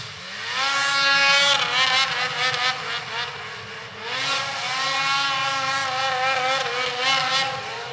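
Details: Polaris IQR 800 two-stroke snowmobile (shorty conversion) passing through trees, about 8,000 rpm (owner wants 8,500): crisp high wail rising and falling with throttle, clean and strong, no misfire; normal running.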